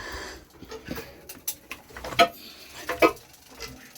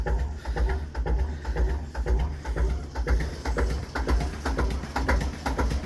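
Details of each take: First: JP2 boat engine, cold in December after three months unused, oil cold, in neutral and turned slowly by hand with good compression: a couple of sharp light clacks about a second apart; a valve sticking slightly, holding cylinder pressure before opening. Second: Cold JP2 marine diesel on a boat in December after three months unused, just started from hand cranking: slow thump about two beats a second with sharp metallic ticks; the starter ratchet is freewheeling off the flywheel, all normal.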